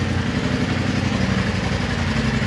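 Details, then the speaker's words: 2018 Polaris RZR XP Turbo after replacing the failed turbo with an OEM-spec unit, started before a test ride: even, steady low rumble, no knocks or misses; normal idle, earlier garage-filling smoke gone. "The smoking has gone away because, like we said before, Dylan started this thing up and it would fill up the entire garage with"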